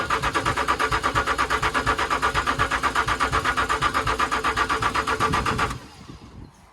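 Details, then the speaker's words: Cheap Range Rover diesel after fuel system bleeding and pressure checks: the starter cranks steadily under three compressions a second but never catches, then stops; still will not run, fuel starvation suspected. "So will it run? Well, the answer to that, quite frankly, is no. Still, it will not run."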